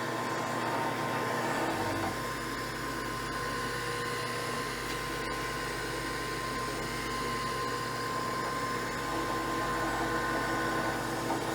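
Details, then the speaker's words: 1980s Jet belt-drive drill press on the middle pulley, new belt breaking in, cleaned up: steady, even motor hum with constant tone, no knocking or squeal; runs smoothly and not too loud. "it's not too loud."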